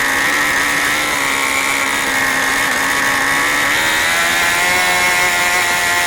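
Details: New OS 40 FSR model engine, second tank of break-in: screaming steady high-pitched buzz creeping slightly higher, running very fast, higher rpm than wanted; high and low speed needles still unset.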